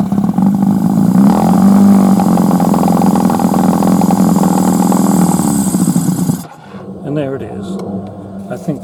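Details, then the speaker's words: Suzuki 1100G with Mikuni carbs, vacuum throttle slides suspected, run warm for a few minutes: engine drones along, then falters and dies about six seconds in as the throttle is opened; it bogs and stalls. "okay so it's getting pretty warm now run for a few minutes let's see what happens when I open the TR dying"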